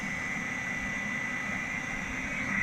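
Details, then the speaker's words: 1982 Matsuura CNC mill with Centroid control retrofit, the three cooling fans in the top of the new electrical sub panel spinning up: steady airy rush with a thin high whine, building slightly; noisy but normal. "But here's the 3 fans in the top. You hear them revving up. They're pretty noisy,"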